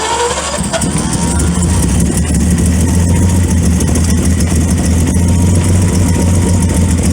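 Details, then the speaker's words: 1928 Franklin, first start after 71 years off the road, makeshift plug wires, timing being adjusted. Runs rough with an uneven lumpy rumble and irregular misses; owner suspects retarded ignition timing and advances it further. "I'll advance it a little bit more. I think that's most of our problem is our timing's retarded."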